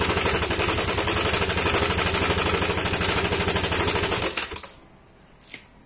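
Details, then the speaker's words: Yamaha Aerox scooter, apparently third tensioner failure: fast, even metallic clatter over idle until shutdown; cam chain tensioner failure rattle, to be replaced with a homemade manual tensioner. "buat kalian yang belum tahu kerusakan Tensioner Seperti apa kita akan nyalain dulu motor Yamaha aerox saynya kita dengarin suaranya"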